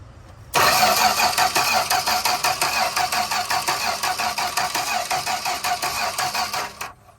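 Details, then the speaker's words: 1965 Plymouth Barracuda slant-six, parked since 1994, gas poured in: steady starter cranking for six seconds with no firing; no spark, with power reaching and leaving the coil, so the distributor cap is to be checked. "Still not acting like it's wanting to do anything. We're testing voltage now. We've got power going into the coil, obviously, from this hot wire. We've got power coming out of the coil. So that means we need to take a look in here under the cap and see what's going on."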